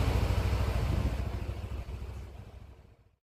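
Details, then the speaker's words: 2016 Yamaha NMAX scooter, only 2,400 km, after service with parts replaced due to age: smooth, even low putter fading as engine shuts off, no knocks or rattles; normal idle. "Suaranya halus kembali. Bagus."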